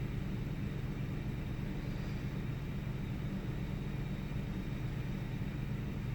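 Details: 1998 Ford Taurus SE V6 OHV, hood open, idling: low rumble with uneven loping beat and occasional small stumbles, intermittent miss, mild rpm fluctuation. Earlier idle swung 400-1000 rpm without warning lights, then smoothed out; cause undiagnosed.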